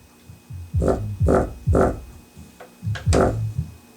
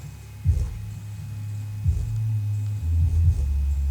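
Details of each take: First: Home-stereo subwoofer playing music: each bass hit brings a buzzy, rumbling rattle over the note instead of a clean thump; the paper cone is split around its edge. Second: Subwoofer after repair, its split paper cone reglued around the edge, having knocked whenever bass hit: deep bass thumps now come through clean with no buzzing or rattling; normal playback.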